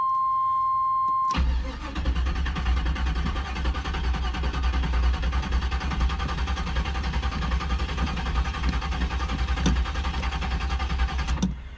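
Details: 1992 Trans Am parked since May, fresh battery: warning chime, then about ten seconds of steady cranking with uneven catches that never fire; cranks but won't start; oil pressure gauge swings 30–60, owner suspects flooding or bad fuel.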